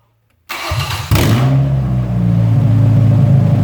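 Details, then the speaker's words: Junk truck, bought non-running after long sitting, restarting after its seized fuel pump was freed: starts immediately and settles into a smooth, steady idle with no knocks or misses. "runs good guys really good sounds smooth"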